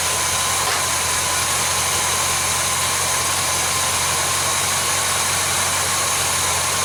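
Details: Chevelle whose oil pressure warning light never comes on, idling with a mechanical oil pressure gauge fitted: an even, smooth idle under hiss at about 44 psi, with no knocks or misses; normal idle.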